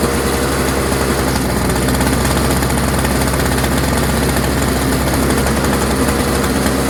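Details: Toro CCR 3650 two-stroke snowblower, warm, sat unused for months with gas in it, no work done: fast, steady two-stroke buzz at an even pace with no misses or surging; runs clean and healthy.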